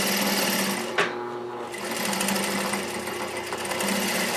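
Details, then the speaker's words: Juki DDL-8300N industrial sewing machine with servo motor, sewing through thick backer; fast, even stitching chatter holds speed with no bogging, knocking or grinding, working properly. "there it goes oh okay now that she's humming oh sweet oh my goodness are you a fantastic machine just rip snor right through the backer"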